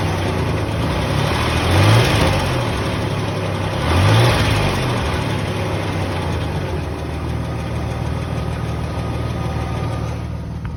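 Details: 2003 Nissan Xterra 3.3 (non-supercharged) at idle: a light, quick tick about four times a second over the engine note; source not pinned down.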